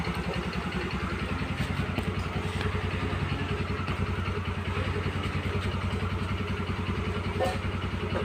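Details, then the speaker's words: Yamaha Xeon scooter after repair for frequent stalling and hard starting (spark plug also replaced): starts directly on ignition, small single-cylinder engine idling evenly without stumbling or dying. "Oke motor sudah menyala dengan baik"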